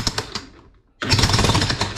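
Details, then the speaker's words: Hitachi demolition hammer delivering strong, rapid, evenly spaced full blows after repair; it had failed to hammer because the piston was stuck in the barrel. "See that? It should be 100% knocking."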